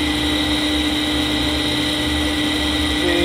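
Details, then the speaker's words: Fujitsu M2294NU 14-inch Winchester hard disk from a Paintbox running, suspected bad bearing: steady hum with constant high whir, fairly loud, no screech or scraping; sounds fine, check light off. "It is fairly loud, but I'd say that sounds fine to me."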